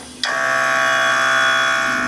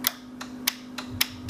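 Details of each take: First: Compressor on a 2017 Harley-Davidson M8 Touring with Xotic Customs Taildragger rear air suspension and Fast Up air tank: sudden start, then steady even electric hum at constant pitch as the air ride pumps up normally. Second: Air-suspension solenoid clicking sharply about three times a second over a faint hum on a 2017 Harley-Davidson M8 Touring with an Xotic Customs Taildragger rear kit; the tank is full but the manual shut-off valve is closed, so no air passes and the bike won't lift.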